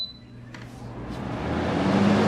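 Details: New 120V window air conditioner bench-tested before installation in a garage, on a heavy-duty extension cord: quiet at first, then a smooth rushing hum builds with a low tone settling in; normal start-up.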